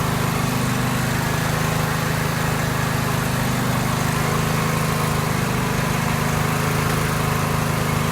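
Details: Free neighbour's garage-find Cub Cadet 1190 lawn tractor, twin engine, first revival start after sitting in storage, spark confirmed: fires and settles into a steady, even low chug with no misses or knocks; running normally.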